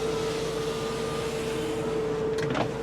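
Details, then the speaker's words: 2001 Nissan Altima GLE sedan, 144,914 miles: power window run all the way down and up, steady even motor hum stopping cleanly at end of travel; window motor healthy. "all the way down, all the way up. All the way down, and all the way up."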